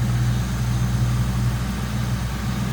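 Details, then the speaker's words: 1996 Ford Mustang GT coupe, 4.6 L SOHC modular V8, mostly stock with added air filter, five-speed manual: deep, steady burble at idle with an even beat, no ticks or misses; smooth runner. "Smooth runner."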